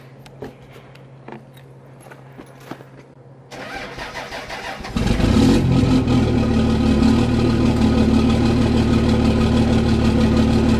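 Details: Cummins diesel with grid heaters disconnected, cold-started at +2 degrees after a warm night: a brief starter whir, then it catches straight into a steady, even clatter with no loping or stumbling, a clean start.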